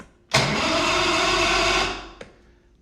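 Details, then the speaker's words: Javelin fish-and-ski boat outboard after a carb clean and steering-arm tightening: it catches with a sharp burst, runs evenly for about a second and a half, then fades off; it still starts and runs normally. "This thing still fires over."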